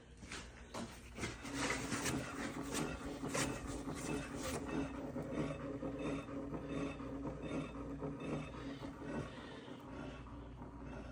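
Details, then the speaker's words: 2006 Toyota Camry after hitting a pothole, on lift, rear wheel spun by hand: dry uneven scrape once or twice a second inside the rear disc brake with drum parking brake; loose parking brake shoe suspected, also pulls left and vibrates. "looks like that tire's bouncing a little. There's definitely a noise inside of here."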